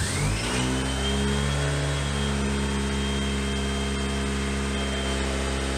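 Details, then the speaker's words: Honda Civic hatch after flood damage, freshly installed rebuilt engine with new seals, timing belt, water pump, plugs, clutch; first start with no air intake or all sensors fitted. Starts quickly, revs, settles to steady 1,000 rpm idle, no knocks or misses. "well it's running good now with no one in the car it's is running on its own it's a steady 1,000 rpm idle I think that's pretty good"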